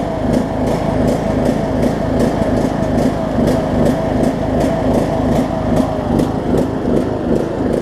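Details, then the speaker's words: John Deere LA105 riding mower single-cylinder engine, unused about three years, around 40°F, after fuel tank cleanout and carb cleaning: runs uneven, pulsing about 2.5 times a second with speed hunting; surging, cause suspected, not confirmed. "it's pulse I like crazy for step two"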